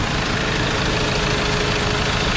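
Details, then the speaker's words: 2021 Ford Ranger 2.2 diesel after replacing the drive belt, tensioner, idler bearing, clutch fan, glow plug and coolant: smooth, steady idle with no squeal, chirp or rattle; the tensioner and belt are now quiet where they were noisy before. "So tahimik na yung under niya mga boss no. Hindi na siya maingay yung tensioner niya at yung belt."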